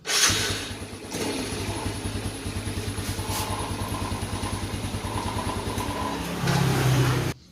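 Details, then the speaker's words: Yamaha Vega Force after repairing a leaking valve seal that had caused lost compression and hard starting: electric starter catches at once, settles into an even, steady putt of about three beats a second, then switches off. Starts normally. "Oke saya matikan dulu coba lagi nih biasanya motornya starter kata si pemiliknya"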